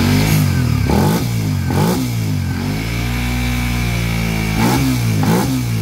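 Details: Engine that suddenly got loud, after the non-original timing chain tensioner was replaced: even firing climbs cleanly with each throttle blip and settles back without knocks or rattles; now quiet, normal revving.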